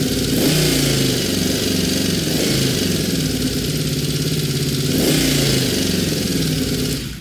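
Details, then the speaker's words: Honda VFR750 V4 after carb rack install and fuel screws set to stock holds a fast, uneven, hunting idle that won't settle; carburetors badly out of sync, one or two cylinders driving the rpm. "so it's just simply a synchronization issue with way too much misalignment or miscalibration between the cylinders and therefore again one or two of the cylinders was driving that rpm"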